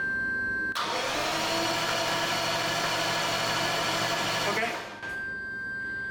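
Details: 1989 Jaguar XJS V12 with Lucas CI single-coil ignition: the starter churns steadily for about four seconds, but the engine never fires. During cranking the ignition test light did not dim or flicker as the book says it should. The cause is suspected, not confirmed.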